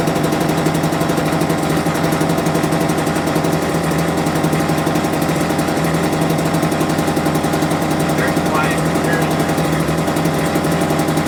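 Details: Homelite UT08572 small two-stroke, just restored, runs with a fast, even popping that sits low and lazy with no rise in speed; idle set too low, and it died on its own.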